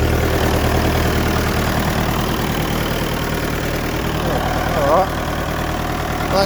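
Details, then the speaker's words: 1959 Fordson Power Major tractor with fully reconditioned engine, just after a cold start: deep even diesel chug at idle with a steady beat, no knocks or misses; running healthy. "It usually starts quite well, this thing, but that's because everything's been reconditioned in the engine, so she's a pretty good runner."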